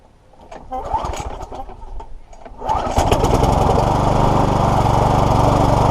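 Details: Free lawnmower that was hydrolocked with oil in the cylinder head, exhaust and carburettor, after repair: pulls a couple of times, catches and settles into a steady, even drone with no stumbling; runs properly.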